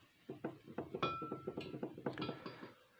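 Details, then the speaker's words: IZh Planeta 5 motorcycle engine turned over by hand, contact-breaker ignition: light, uneven metallic ticking about four a second from the points; normal, inaudible once the engine runs. "Даже оцей ось звук, оцей ось стук, вірні. Тут, бачите, система контактна."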